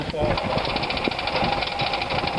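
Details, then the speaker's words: Zeta car started after ten years in storage with only a battery and fuel added: it catches and runs with quick throttle blips, then settles into a steady, even idle; normal running. "Do you hear that running? Yep, bit of throttle. Taking it out of the shed after 10 years, all we've done is put a battery of fuel, as you've seen this morning, and she's running."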